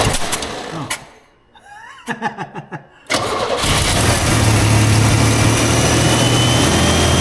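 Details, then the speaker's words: 1938 International pickup, budget-build project, restarted after earlier failed attempts (owner guesses flooding from too much gas): a few cranking turns, then it catches and settles into a steady, quiet, even idle with no knocks; runs healthy. "okay well it runs it's quiet I don't know what's going on"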